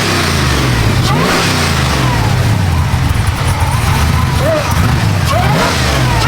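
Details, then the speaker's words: Supercharged LSA 6.0 V8 Silverado (about 700 hp), described as fully dialed in: deep strong rumble climbs cleanly through a few throttle blips and settles back without misses or rattles. Normal healthy revving. "Now that's what I'm talking about. This truck is fully dialed in."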